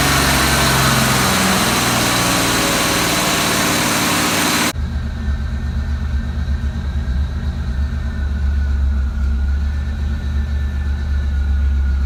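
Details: After a loud start, the idle settles into a low uneven thump with irregular stumbles, a misfire of unknown source. Disconnecting and reconnecting the MAF sensor makes no difference.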